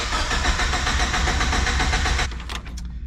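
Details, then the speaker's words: Turbocharged Miata fitted with 1000cc Injector Dynamics injectors and MegaSquirt, no map to run them: even starter whirring with a steady cranking beat for two seconds, then it stops; the engine never catches; cranks, no start. "she won't start right now cuz it's got the injector dynamic thousand cc's injectors and it doesn't know what to do with the mega squirts in"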